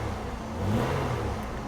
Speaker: as soon as it started worrying up it started running kind of rough now you rev it up and it's clean